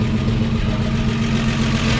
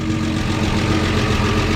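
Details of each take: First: 1953 Chevy 4100 truck on its first run after resurrection, idling on its own with oil pressure and no smoke: steady old inline engine with a loud, raw puffing chuff from a sizable exhaust leak up front. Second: Resurrected 1953 Chevy 4100 truck inline engine idling on its own with oil pressure and no smoke: a busy, clattery mechanical chatter that is normal for its type, despite a sizable exhaust leak.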